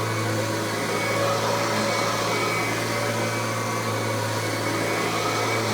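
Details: Kirby G3 Ultimate upright vacuum prototype with newer replacement transmission, tech drive self-propel switched on: steady motor roar and low hum, no gear whine or clatter; owner credits quietness to new gear ratio. Normal.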